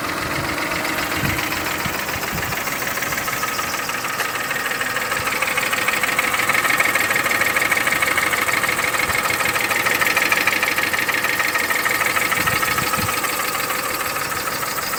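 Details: Mercedes M272 petrol V6 at idle: steady, fast metallic knocking over a thin, bright engine note; suspected stretched timing chain, or cylinder scoring if the engine uses oil; not confirmed.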